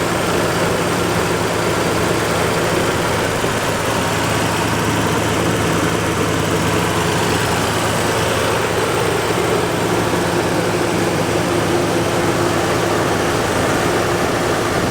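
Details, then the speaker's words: 1987 Nissan 300ZX 3.0 V6, hood open at idle: steady, even smooth low drone, no ticks, knocks or hunting; sounds good. "All right, everybody, so the V6 3000 Nissan, a pretty cool motor, man. Sounds good under there."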